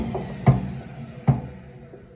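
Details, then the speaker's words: Hotpoint Ariston WMUF 5050 washing machine: single dull thumps about every 0.8 s while the drum turns, worst on spin. Drum doesn't knock when rocked by hand. "Значит, когда крутится барабан, особенно вот в момент отжима, происходит происходят стуки."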